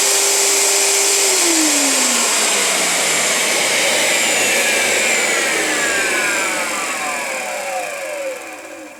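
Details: Premiere Mini 175 vacuum motor after its dust-coated internals were cleaned; it sounded rough before. A high, even rushing hum with no rattle or grinding, then a smooth spin-down. Runs much better, fixed.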